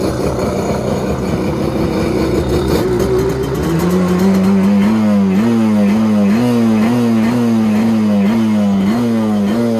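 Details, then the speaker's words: 1986 Kawasaki X2 two-stroke jet ski, first start in 35 years after oiling cylinders and fresh premixed fuel; rough catch settles into a steady, buzzy two-stroke note with gentle rhythmic warble; starts cleanly, runs smooth and healthy. "let's go ahead fires right up man this thing sounds so good"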